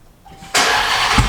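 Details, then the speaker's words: Wrecked Hellcat after coil pack replacement and throttle body swap, cold start (not very cold), only started once before: short crank, catches hard into loud, strong, even idle with no misfire or stumble; normal cold start. "I have listened to that all day long that sounds so good"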